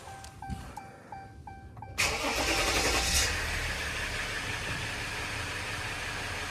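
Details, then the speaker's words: 2016 Ram 1500 3.0 EcoDiesel start after replacing fuel filter housing/water separator for P0183 fuel temperature code, filter primed in run mode first; warning chimes, then starter catches and diesel settles quickly into smooth even idle; normal start. "Okay. Moment of truth. Let's see. Beautiful."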